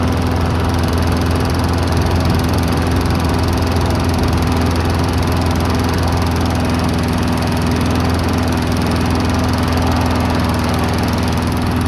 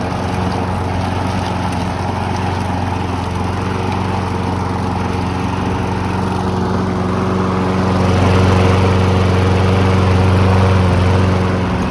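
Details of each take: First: Abandoned Briggs & Stratton push mower, unused for years, started at about nine degrees Fahrenheit with the trigger taped down: a small single-cylinder engine droning with a slightly lumpy, unsteady beat and dripping black stuff from the muffler. Owner suspects junk in the carburetor. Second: Briggs & Stratton walk-behind mower bought cheap after sitting abandoned: it smoked at first, then smoothed out and settled into a steady governed drone that rises slightly under load; normal running.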